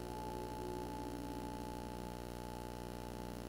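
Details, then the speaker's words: Nintendo Switch docked, audio captured in OBS via Elgato Chat Link Pro with noise isolation off: a constant electrical buzz with low hum from a ground loop, which disappears once noise isolation is turned on. "You kind of hear it, right? It's just like a constant just. So that is basically with um with the noise isolation off."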